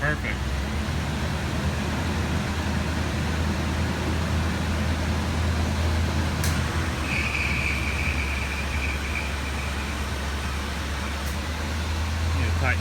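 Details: 1985 Chevrolet C10 V8 after ignition system repair (failed ignition module, wiring repaired), computer not yet remounted: smooth low hum at steady pace, no stumbles or misfires; truck runs fine.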